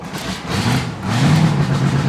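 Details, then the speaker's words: 2021 Chris Craft Stinger 222 boat with Mercury engine, first start of season at night after cleaning a dirty ignition-circuit fuse (now 11 volts): even, steady low idle with no stumbles or knocks, firing cleanly; normal idle. "now it sounds right yeah that water's still on right there stand behind there let me know when it comes out oh he can't hear this and he just got wet she fired up and smoothed right out"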